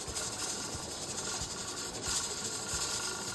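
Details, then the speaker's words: Pressure canner with two stacks of beef bone broth jars, just come up to pressure: steady steam hiss with the weight rocking and rattling loosely as it vents; normal operation. "You can see this start rattling, and you can hear the tattle. When these two start going together, oh, it gets loud."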